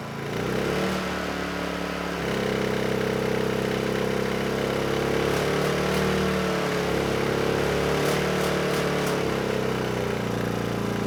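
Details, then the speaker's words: Honda EU2000i generator that burns oil and smokes under load: the engine runs fairly steady, then the note drops and labours as load comes on. It is down on horsepower. Struggling under load. "So, yeah, I think we do have some engine issues here. You know, it was smoking. Not quite as bad as I thought, but there is a very strong smell of burning oil in the air. And the engine is definitely down on horsepower."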